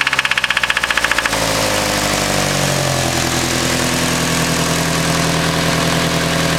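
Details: Nissan SR20: rapid rough throbbing at start settling into a steady idle with a faint regular knock underneath; consistent with a spun rod bearing.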